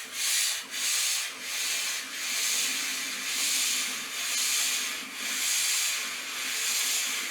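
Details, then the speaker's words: Vax floor steamer, plain water, before any vinegar descaling: thin airy hiss that swells and fades roughly once a second with little force; weak steam output. "no idea about steamers but look at this this is how much steam it produces"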